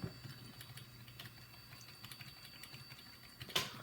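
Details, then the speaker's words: Mid-2000s HP desktop with failing hard drive (Windows XP installed) during Windows 98 install: irregular dry clicks about two a second over low fan hum while the drive initializes; drive failing but still works. "this drive currently has Windows XP onto it so it's not working obviously yeah so blue screen but it has Windows XP on it and the drive is currently failing so you can hear clicking"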